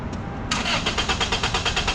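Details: 1996 Toyota Corolla with cylinder 1 misfire, cranking with injectors unplugged for relative compression test: starter cranks at even beat, about eight pulses a second, every stroke alike; compression balanced across all four cylinders.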